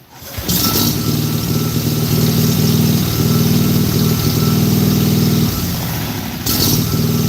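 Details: Briggs and Stratton mower engine with plastic carb, started without choke, testing PTO: steady, even hum at constant speed with no misses or knocks; running smoothly.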